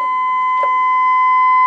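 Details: Restored Dynaco Mark III tube amplifier brought up slowly on a variac, around 70 volts, 1 kHz test tone input: clean steady tone at constant level, no hum or crackle; normal test tone output, bias 0.6 volts.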